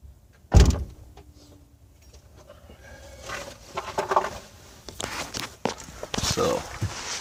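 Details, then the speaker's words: Jaguar XJ8 electronic parking brake, phone in the trunk, at engine shutoff after a stuck-EPB fault that would not reset: a thunk, then a short even motor whir about a second long. Parking brake engaging normally. "I'll turn the car off, and I'll actually I'll put the phone in the trunk, and you'll hear the parking brake engaging when I turn the car off."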